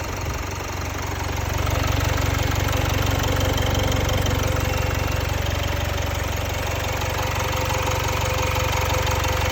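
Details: Jaguar XE 2.0 Ingenium diesel after Jaguar replaced the timing chain (faulty guides and tensioners) at 72,000 km. Smooth, even idle with a steady low rumble and no ticking or rattle; noise and vibration are much improved.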